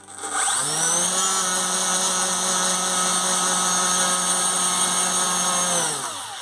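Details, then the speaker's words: Electric motor of a Dumas Hurricane RC conversion at maximum power after improving connections; steady high whine with slight wavering, surging slightly, losing and recovering power, but far better than before, with strong thrust. "I don't know if you could hear it but it was kind of surging slightly like losing a bit of power recovering losing power"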